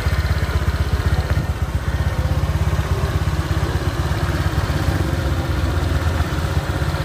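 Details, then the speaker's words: Honda Vario 125 LED scooter after a top-end rebuild with new piston and rings, following hard starting and oil loss. Brisk, even single-cylinder putter with no knocking or rattle; exhaust no longer smokes and pulling power is normal. "ini adalah hasil motornya ya di sini kelihatan untuk ee narpot sudah tidak berasap lagi guys ya dan tarikannya juga sudah normal begitu"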